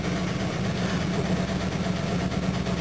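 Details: Jaguar XJ12 V12 after cleaning the battery terminal and cabling, cold start: smooth, even low rumble settling into a steady idle with no misses, knocks or ticks; before the fix it bogged down cranking; normal idle.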